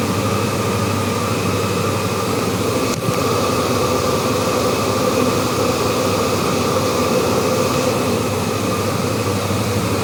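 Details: Pump noise in a unit's water pipes: soft gurgling while the pump runs; when it stops, a steady high-pitched whistle with a fainter, higher overtone grows loud over a constant low hum.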